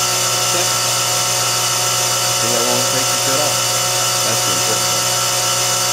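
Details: Well pump after the water-logged tank was drained and its micronizer (aerator), clogged with plastic bits, was cleaned: steady even hum at constant pitch, running a normal long cycle of about a minute with no rapid cycling or chatter.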